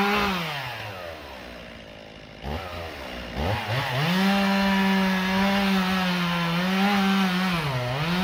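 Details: Stihl MS 391 chainsaw, about two years old, cutting hard walnut logs: high even note holding through the cut, dipping slightly under load and recovering cleanly; healthy two-stroke, normal running.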